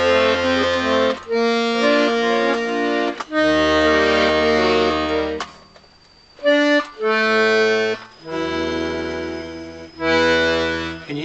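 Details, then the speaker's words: Scarlatti 24-bass accordion after tuning bass reeds to A440: bass chords with faint buzzy rattle on E note on bellows push, to be investigated. Rattling bass reed. "rattle on that e it's on the push okay so I got the E on the push I need to investigate"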